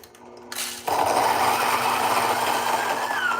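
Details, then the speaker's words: Fellow Ode Gen 2 coffee grinder that had been intermittently seizing, with chirping suggesting contact, after being opened up: quiet hum, then motor spins freely in a steady, even whir with no catching. "So, now it spins freely. Right now, we're spinning fine."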